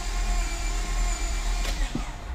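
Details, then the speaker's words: Turbocharged Honda J-series engine during a compression test with all plugs out, cylinder 4: starter spins fast and evenly with almost no resistance, indicating low compression; broken piston ring lands suspected. "so cylinder 4 all right now listen to how fast it it spins over like there's zero resistance"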